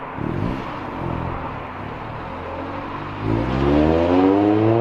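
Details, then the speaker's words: Honda CRX after the Vibrant 2.25in muffler/resonator swap on the Spec-D catback, pulling away: deep, smooth drone climbing evenly in pitch, clean steady note with no rasp or rattle. "Chris about to take off, get one final listen of his exhaust."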